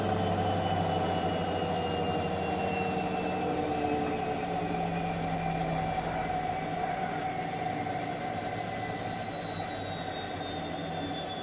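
Drum whine slowly falls as the spin winds down, with an uneven knock about three or four times a second underneath.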